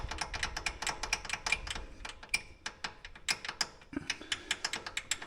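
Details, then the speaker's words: Polaris Ranger rear wheel turned by hand: sharp, uneven clicks and light clunks from loose brake pads rattling in the caliper, not axles or transmission. "that's what that was my issue so uh there was nothing wrong with the axles or the transmission all this time it was these"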